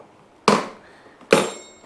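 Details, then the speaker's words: Amyet S8 dual-motor AWD e-bike: two sharp metallic clinks with a short ring each time the rear is jolted, something loose at the back; owner suspects the rotor is making the noise, not confirmed. "That might be these. That's the uh rotor making that noise when I do that."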